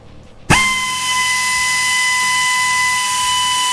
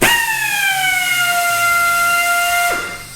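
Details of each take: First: Harbor Freight Central Pneumatic 90° air drill, measured about one foot away: snaps to a steady high even whine, holds, shuts off cleanly; running normally, 88 dB versus about 80 dB normal conversation. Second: Central Pneumatic 90-degree air drill on a 30-gallon Husky compressor with the regulator at 105 psi: a bright whine starts strong, then sags in pitch and drops off. The tool is starved for air from the low supply.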